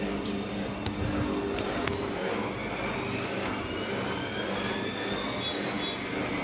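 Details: Bosch washing machine after its dampers were replaced: a steady, even whir with motor tones climbing smoothly as the drum spins up, with no knocking or banging; a normal spin cycle.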